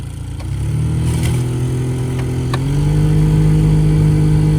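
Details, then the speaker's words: Two-door Jeep Cherokee XJ after a new blower motor resistor: a steady fan hum that steps up in pitch as it now runs at more than one speed, with light intermittent ticking from leaves and debris left in the blower case. "the display and the radius started working and you can hopefully hear the blower motor now works in more than one speed but there's still junk left in it"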